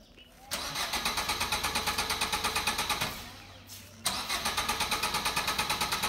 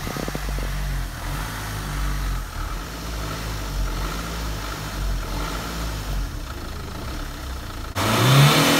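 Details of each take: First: Car cranks steadily at about three turns a second but never fires, repeated twice; the cause was a loose battery wire, and the car started once it was fixed. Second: Engine running after a loose battery cable was fixed: low, steady hum swelling louder near the end as it picks up, running evenly with no misses or knocks; now starts and runs healthy.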